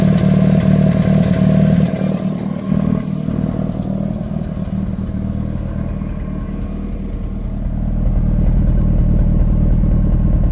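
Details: Mitsubishi Lancer Evo 8 at idle, a long-running problem. A lumpy idle that stumbles and misses beats with changing level. Vacuum and boost leaks checked and found fine, spark plugs already changed; misfire cause unknown.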